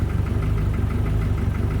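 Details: Volvo 740 sleeper with forged bottom end and prototype manifold, restarted after head gasket fix, wideband warming up: sharp even clatter about eight per second over low idle rumble; known piston slap.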